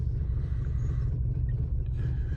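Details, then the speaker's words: Opel Zafira A cold start on petrol, which misfires until it switches to gas: lumpy, uneven shaking idle, running on two or three cylinders; misfire codes for cylinders 2, 3 and 4, with check light on and tachometer dead. "заводимо да завали машина працює на двох чи на трьох циліндрах мабуть на"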